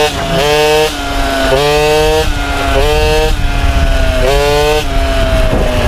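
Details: MBK 51 two-stroke moped after revival: buzzy revving in short blips, pitch climbing and dropping, uneven at the bottom; owner feels it stumbles at low rpm, suspects mixture too lean or too rich, plans spark plug colour check to adjust.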